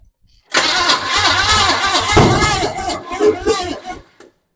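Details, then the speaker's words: 1929 Model A truck with a replacement engine cranks with uneven pops and chuffs out the exhaust and won't catch. "right ready yeah popping out the exhaust pretty good you sure about your fireing order what it was"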